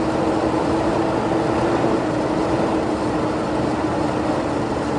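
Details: Ford EB Falcon farm car with a new coil and no fuel pump, fed fuel down the breather: engine catches and holds a steady, even run with no knocks or misses.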